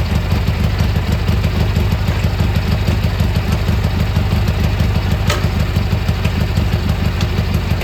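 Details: Gravely G-16 tractor, roughly late-80s/90s, not run in a few years, on its own fuel, driving: steady even low thrum at constant speed, no knocks or misses; runs pretty good, smokes a little, carburetor probably a little dirty.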